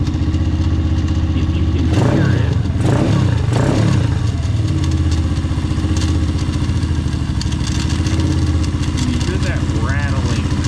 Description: More to come as I diagnose what the crank case rattle is. I suspect now it may be the starter clutch since I removed the electric starter motor and put in plug.